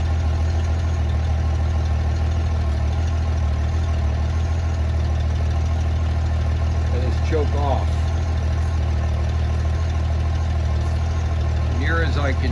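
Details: 1994 Honda GL1500 Goldwing Aspencade, first start in two and a half years after aftermarket fuel pump replacement, oil in cylinders, less choke: deep, smooth, even idle rumble throughout, no misfire or surging; engine running healthy.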